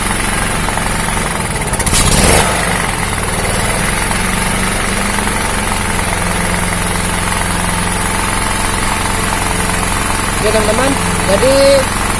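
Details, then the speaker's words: Honda GX160-type single-cylinder engine on a 2000 W generator, after repair: steady even idle with no more hunting up and down; the surging was traced to the ignition coil and cured by swapping in a known-good coil. "sudah normal tidak naik turun naik turun aja ya kita matikan dulu mesinnya"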